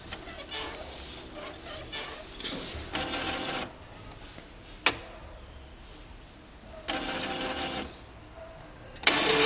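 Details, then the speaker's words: Epson 3700-series printer at power-on: whirring carriage travel ends in sharp clacks as the carriage jams after cartridge cleaning near the end of initialization; print carriage jam at startup. "ela trava o carro de impressão quando ela está a concluir o processo de inicialização da liga na impressora da luz ela vai fazer o processo de inicialização né ela faz aquela limpeza dos cartuchos e no final do procedimento ela trava"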